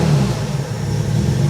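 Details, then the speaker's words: TVR 3000M Ford Essex V6 on a lift, just started cold after a cooling system rebuild: a steady, low, even idle rumble with no knocks or misses. Oil pressure is good, water temperature low, and it runs fairly smoothly but still needs tuning. "everything else seems to work fine and the engine runs fairly smoothly so uh yeah i'm happy with that"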